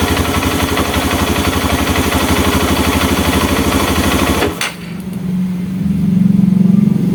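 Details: Honda Mega Pro mono after an air leak was found. An even, steady single-cylinder beat with no hunting, then a short dip as the air screw is turned; the idle is now stable.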